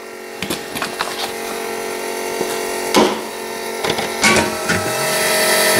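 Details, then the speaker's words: Electric fuel pump on a custom stand-alone system for a 5.9 Magnum 360 fuel-injected V8 lawnmower swap: smooth, even whine with soft return-flow hiss, no surging or stutter. Normal fuel pump operation. "You can see our pump working away in there, hear the return, doing everything it's supposed to do."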